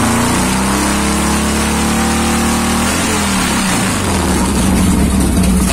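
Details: 1990 Harley Fatboy Evo V-twin after a carburettor clean (clogged jets had stopped it starting): catches, blips up, settles to a lumpy even idle, no knocks or clatter; healthy.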